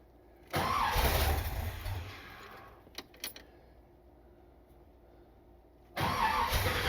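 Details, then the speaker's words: 1979 Corvette engine being started in park for the first time after install: it cranks, catches briefly, then backfires with sharp pops. Owner suspects ignition timing and adds more timing. "Well, there's the backfire. Well, I guess it just couldn't be that simple, could it?"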